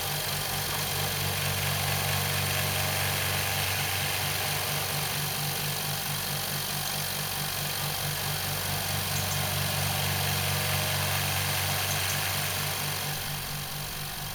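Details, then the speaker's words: New Rocwood workshop air compressor on its first test run, pumping up toward full pressure: even pumping about four strokes a second with steady hiss; compressor runs smoothly and sounds healthy. "I'll leave the pump running until it gets up to full pressure and I'm not going to speed up the video"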